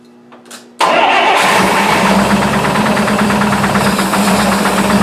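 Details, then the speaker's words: Buick P12 engine starting and idling: catches instantly and settles with steady light tapping about three per second, newly developed knock with 42 psi oil pressure; owner unsure whether lifter or rod knock, later suspects a sticking valve. "but she does have a knock of some kind that just developed but I was running 42 lbs of oil pressure there so I'm not really sure what's going on with that"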